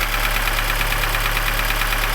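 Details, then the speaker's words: Lada Niva (Zhiguli) petrol engine after full rebuild (new chain, pistons, crank, lapped valves, valves set 0.15 mm), warm idle: quick even metallic knock appearing after a spell of idling, absent cold; cause unknown. "А потом после секунд 10-20 там минут работы двигателя на холостных оборотах появился вот такой характерный стук."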